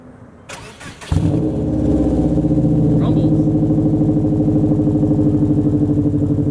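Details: 2007 Subaru Legacy GT spec.B turbo with a new mid pipe and resonator completing the catback exhaust, muffler delete and HKS blow-off valve: cranks briefly, catches and settles into a loud, even, burbly idle; normal start and revving.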